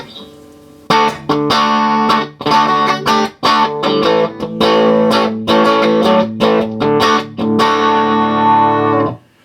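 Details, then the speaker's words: Selmer TruVoice TV15 valve guitar amp (circa 1950) after fixing two manufacturing faults, mains wiring and a wrong-value tone pot loading the first stage: plucked guitar chords ring clean and full with no harsh fuzz or crackle; normal amplifier tone. "that's what it's supposed to sound like that's what the other one I may serve it sounded like"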